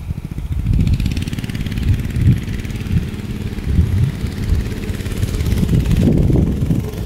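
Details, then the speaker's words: Barn-find minibike's small single-cylinder engine, sat 20-25 years, after oiling a squealing shaft: steady low drone rising and falling with throttle, no squeal or whine on top; oiling the shaft fixed the metal-on-metal squeal. "That fixed the problem. So oiling that shaft up got rid of that squealing sound."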